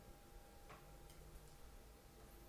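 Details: GL100 250cc build with a left-side original PCX switch holder, on an electrical check. Faint, light clicks at a slow blinker pace in a quiet room; the turn signal flasher is working normally.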